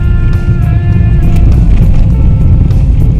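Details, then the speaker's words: Toyota Yaris after steering rack replacement (rack worn out, internal bearing broken) and right front wheel bearing fix, road test on rough road: steady low rumble, no knocks or clunks from the front end, now quiet. "หมดแล้วนะครับวิ่งทางคุกขักก็เงียบหมดแล้วนะฮนี่ถือว่าเงียบแล้วนะครับ"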